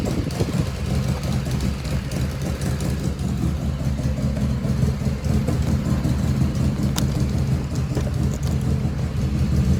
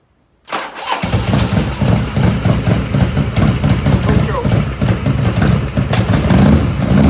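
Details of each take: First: 1985 Harley FXRS Evo, carburetor just reassembled, battery had been dead: loping V-twin idle with uneven potato beat holding steady, no stumbling; idle jet fuelling pretty close. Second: 1985 Harley FXRS Evo started cold without choke, not yet at operating temperature: lumpy, chuffing idle with uneven beats, black smoke from exhaust; carbs running too rich, jets need dialing in.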